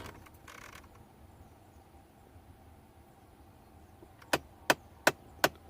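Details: 2010 Ford F-150 passenger-side blend door actuator (cheap replacement fitted months earlier), heard behind the dash: sharp, evenly spaced clicks, two or three a second, from stripped gears skipping in the actuator.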